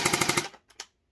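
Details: Crisp rapid burst of about five even shots from a gray Splatrball SB400 gel blaster after a fix, then silence. The blaster cycles properly.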